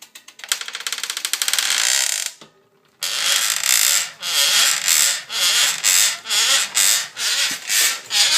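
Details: S5 bike with BBright bottom bracket: sharp dry creaks in bursts about once per pedal stroke from the bottom bracket area, source not pinned down.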